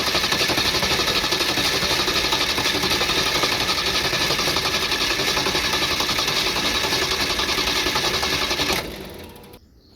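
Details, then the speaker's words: Vehicle cranked solely by Lokithor JP400 12V jump starter (2500 peak amps), battery fully disconnected and distributor disconnected so it cannot start: steady fast chugging crank about four beats a second, no firing; starter spins engine fine. "note that the battery is completely disconnected from the vehicle and I have the distributor disconnected so this will it will not start so this will just be the jump starter"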